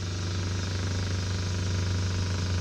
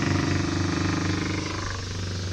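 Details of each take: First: Minn Kota trolling motor rescued from the trash (needs a switch, a bolt missing) runs with a steady low electric hum and faint whir, pitch creeping up as it slowly gains speed; smooth, motor judged pretty good. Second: Salvaged Minn Kota trolling motor needing a switch, running with the switch held on; uneven buzzing hum with fluttering pulse and wandering pitch, then gradually speeding up; owner ultimately judges the motor good.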